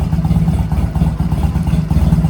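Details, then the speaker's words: Honda Rebel 250 single-cylinder after 27 years sitting, cold, full choke, in neutral; steady even thump at fast cold idle, no knocks or rattles; normal healthy cold idle. "It actually doesn't sound that bad. It sounds really healthy. There's not really like a noise on the engine."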